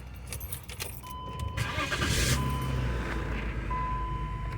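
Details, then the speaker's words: 2005 BMW X5 V6 right after fuel pump replacement: key jingle, short crank, then the engine catches and revs up cleanly before settling. New pump works, starts normally. "okay all right sounds like I have to look a pump works all right we'll go ahead and uh take it for a spin and let it run"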